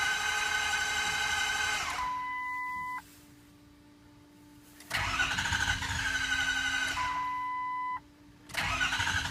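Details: 2004 Ford F350 6.0L diesel (late): fast, even high-rpm cranking in two long bursts with a chime between, never fires; mechanical Positive Air Shutoff tripped by mistake, closing the butterfly at the CAC tube, so no air, only raw fuel injected; no code set.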